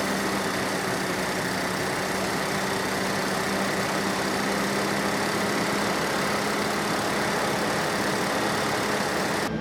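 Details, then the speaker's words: 36-year-old Toyota Land Cruiser 60 Series first start after new power steering pump, jacked up, low on fuel: steady fast idle at about 1400 rpm with a constant hum and loud fuel pump, later ramping down on its own. High idle. "RPMs 1400"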